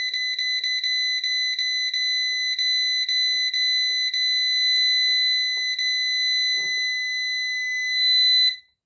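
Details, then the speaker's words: New PowMr 3.2 kVA / 3000 W inverter under diagnosis: shrill buzzer chirps then holds steady tone; after unplugging USB and powering back on it beeps again despite being silenced; technician suspects external memory; finding: alarm after power cycle, settings not retained. "От він начебто працює прошивочку показує все якби чітко вимикає йому USB знов вмикаю і він знову пищить"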